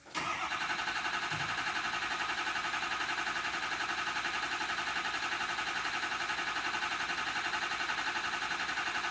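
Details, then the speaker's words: Ford F350 6.0L diesel with a crank-no-start, being cranked to build injection pressure: steady, even cranking pulses, roughly 85 a minute, that never speed up or catch; weak batteries dragging the starter, jump box being added. "Let me put a jump box here because these batteries are getting weak."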